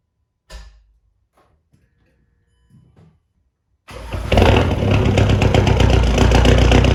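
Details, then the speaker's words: Remapped VW Caddy 2K diesel, first start after fitting a GTB1756VK hybrid turbo to replace the blown one, new box and 4-inch roll tip: a few quiet knocks, then a harsh, very loud clattering idle. Loud straight-pipe exhaust. "oh she's loud she is well loud ridiculous sounds louder than on the goals"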